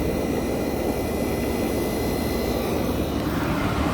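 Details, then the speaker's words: 1965 Fedders Weatherwheel air conditioner switched on high cool, mic near the Tecumseh AJM compressor: harsh, mean-sounding rushing start-up with a few steady high tones, no knocking or rattle; normal, healthy compressor start-up, unit soon blowing cold. "So it sounds mean when starting. This is a mean sounding Tecumseh AJM compressors."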